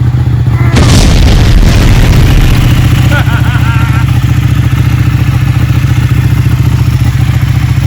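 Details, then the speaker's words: Ducati Panigale 1199 V-twin, first start after rebuild with oil in and coolant cap off to bleed air, idles with a deep, loud, even lope at about three and a half beats a second, no knocks or rattles; normal idle. "It works. It works. It sounds amazing."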